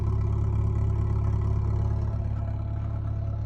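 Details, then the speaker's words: 2003 Subaru Impreza Bug Eye, 5-speed base model: low, even boxer burble with a smooth, steady stock idle and no knocks or misses. Possibly slight pulley noise at the front. "Okay, we'll see if she'll idle. Okay. Well, you know, it sounds like a Subaru. A stock Subaru."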